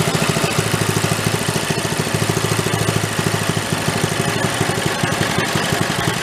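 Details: 1965 Chevy Corvair Monza go-kart, new small single-cylinder engine with stock muffler, idle being set slower: slow, steady putt about three beats a second, even; normal slow idle.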